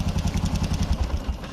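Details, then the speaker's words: Old carbureted Honda Supra X 125 with new bore, valves and cam chain tensioner, quiet at first but noisy after weeks: fast light ticking over each firing pulse at low and high rpm; valve tapping from excessive clearance. "Nah ya cuman ini mesinnya berisik coba Nah ini teman-teman bisa denger ini mau RPM bawah mau RPM tinggi ini suaranya tetap ada"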